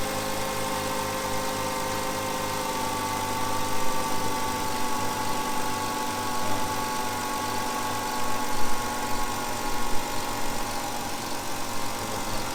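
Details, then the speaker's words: 2005 Hyundai Sonata after new coil packs were installed, started after holding the key on for a second: smooth, steady idle with an even low hum and no misfire stumble or knocking; normal idle. "Really nicely. Huh? It's idling really nicely. Sounds like it's doing pretty good."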